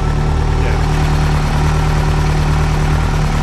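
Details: Nissan Sunny truck (Datsun 1200) converted to Haltech EFI, started for the third time after about two years not running, tune still being learned via O2: deep, even idle with steady rumble and no misses; running smoothly.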